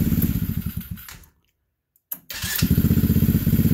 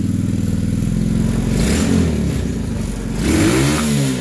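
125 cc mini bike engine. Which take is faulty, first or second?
second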